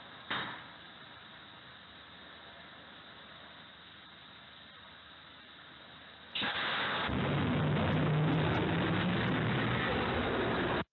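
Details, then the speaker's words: Thermal runaway test of a roughly 2 kWh battery inside a riveted metal box: a faint hiss, then a sudden loud rushing roar with scattered sharp pops as the cell blast caps burst and a vapour cloud vents. "what you will hear is the popping of the blast caps on the cells and the production of the V Cloud"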